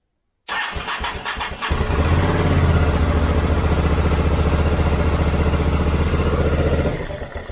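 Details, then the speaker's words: Honda VTR1000F V-twin after long storage, carburettors and clogged idle jets cleaned: brief cranking, then steady even idle without stumbling; now runs even with choke off, where before it stalled. "już widzę że jest lepiej bo chodzi nawet jak się ssanie zdejmie to on chodzi"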